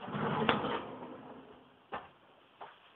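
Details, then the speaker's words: Soft-close drawer on metal drawer with newly installed rail system: soft slide and click as it catches (needs slight push), then two light clicks as the tension bar/spring eases it shut; smooth, quiet, working normally. "And then it'll softly close from the tension bar. You can hear it clicking into place."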